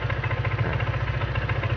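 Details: Honda PCX scooter after cleaning the clutch and side-cover assembly to cure judder when pulling away: a quick, even idle putter with a steady low hum, sounding quieter than before, with no knocks or grinding; normal idle.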